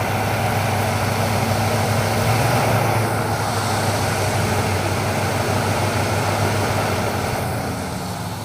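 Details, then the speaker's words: 1968 Chrysler Town and Country wagon, 440ci big-block V8 at idle with a miss and 0 timing. Flammable spray around the carburetor makes the uneven idle note swell and shift, locating a vacuum leak: the brake booster hose was left off. Reconnecting it fixed the idle. "We're looking for a vacuum leak, so I'm gonna spray this flammable liquid all the way around the carburetor, and when we hear the tone of the engine change, then that's going to tell us where the leak is."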